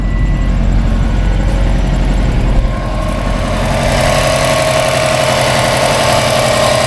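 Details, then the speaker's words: Subaru Baja rescue project, second start with coolant added and alternator belt connected: started right up, steady low idle rumble with even beat, no misses or stumbling; temperature gauge being watched. "Second start with coolant in and the belt connected for the alternator. Wow, dude. Wow. started right up."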